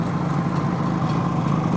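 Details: 1970 Suzuki T350 Rebel two-stroke twin, long stored: rough, uneven low idle with thin, lumpy beat instead of full twin note; choking or pulling the left plug cap changes nothing, left cylinder not firing, spark plug to be checked.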